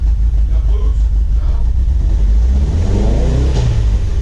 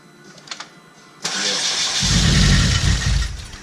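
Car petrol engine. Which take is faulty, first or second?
second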